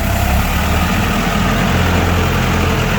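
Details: Komatsu FD18L diesel forklift after repairing a cracked, leaking steel hydraulic line: low, steady diesel chug at idle with an even beat and no knocks or misses; healthy normal idle.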